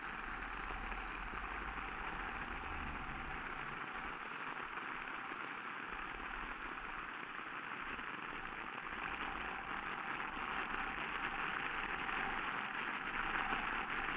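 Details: Ultrasonic listening to a bearing during greasing: steady rushing hiss grows louder as grease goes in, with faint micro-shock ticks appearing; bearing being over-greased, greasing must stop.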